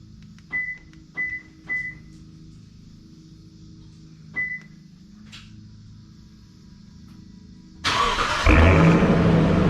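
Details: 2016 Toyota Tundra Platinum 5.7 iForce V8, first start after installing a Corsa Performance stainless sport exhaust: a few short chirps, then cranks, catches at once and settles into a deep, steady, even burble. Normal start-up and idle.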